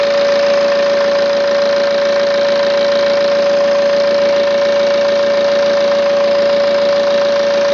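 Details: 2009 BMW E90 320d diesel, 130,000 km, idling with a constant high whistle unchanged throughout; whine at idle, turbo suspected, not confirmed.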